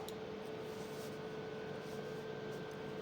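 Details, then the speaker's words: UV/Vis spectrometer after setting the slit width to 0.1: faint steady hum with a constant mid-pitched tone, no clicks or grinding; instrument operating normally before the scan starts. "You'll hear the instrument humming. Give it a second. Then press start."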